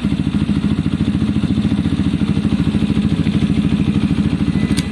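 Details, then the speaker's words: Zontes fuel-injected motorcycle that kept cutting out, idling around 2,500 rpm: slow, lumpy idle with an uneven beat about three to four pulses a second; idle set slightly too low, to be raised. "so i think if we nip the idler a tiny little bit it should actually be okay"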